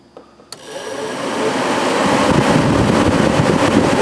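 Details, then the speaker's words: 1996 Chevy Impala SS after electric cooling fan replacement: a click, then a smooth airy whoosh building evenly over a few seconds, no rattle or scraping; new fans running quietly as they should. "now we're gonna run these fans so you can hear how quiet they are what they're supposed to sound like"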